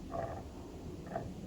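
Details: 2000 Toyota Camry A140E transaxle torque converter turned by hand off the car: rough rasping grinding bursts; it is suspected to be broken inside, with possible metal shards in the transaxle, but this is unconfirmed.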